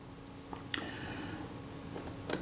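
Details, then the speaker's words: Kodak Retinette type 022 shutter gear train reinstalled and screwed down tight during servicing, plate bent slightly to free binding wheels: sharp release click, brief even whirr of the gear train, then a clean closing click. Runs down smoothly. "it's screwed down tight at both ends if we release the shutter it runs down"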